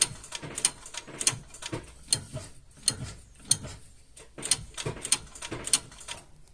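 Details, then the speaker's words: Lada Vesta rear drum brakes after new rear pads: sharp, uneven metallic clicks about every half second as the handbrake is pulled. The self-adjuster is ratcheting normally, taking up slack until the clicking stops when fully adjusted. "щелчки уже не слышно у нас уже закончились там нету Это говорит о том что у нас полностью регулировка уже прошла"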